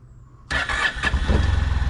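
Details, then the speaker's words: 2005 Honda Silver Wing scooter, first start after sitting mossy and being washed, oil and coolant checked, temporary hookup: catches instantly into steady pulsing idle with no long cranking; normal engine start. "oh look at that yeah fired right up sure pretty cool that's pretty cool"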